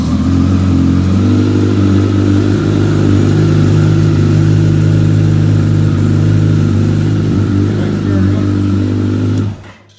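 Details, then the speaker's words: 2014 Kawasaki ZX14R with newly reinstalled reflashed ECU, sat about six months over winter: starts right away and holds a strong, even idle about nine seconds with no misses or clatter, then shuts off cleanly; healthy engine. "Got to admit, the bike started up right away. It's been sitting all winter."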